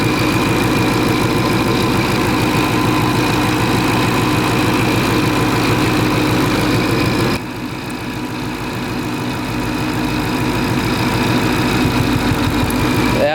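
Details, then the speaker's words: Supercharged 2013 Mustang GT at idle: a lumpy, uneven beat with about three stumbles a second under the drone, clearly misfiring even though the scanner shows zero misfire counts on cylinders one to eight; the misfire is still being chased. "but i know you guys hear this right now it's that's misfiring so"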